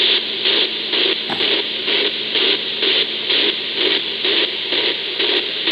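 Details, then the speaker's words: Ecoflow River 2 Pro inverter switched on, heard on a receiver in AM mode around the 49 band: hissy buzz pulsing about twice a second over a faint steady hum; noise stops when the inverter is turned off. "I heard the noise even with the front speakers even with the powered speakers off but a"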